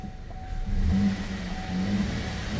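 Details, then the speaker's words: 2015 Holden VF Commodore Ute, DOHC V6 direct-injection petrol: a steady low rumble as the engine keeps running after ignition off and key removed, with the cluster dark and no RPM. Key barrel OK, no OBD faults, and a swapped front power distribution box didn't help. Engine ECU suspected. "you can hear engine is running but you can't see the cluster works so it's off no RPM"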